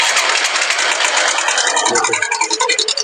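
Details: Honda Shine motorcycle engine at light idle: fast, uneven metallic ticking rides high, a loose chain rattle pointing to a worn cam chain tensioner.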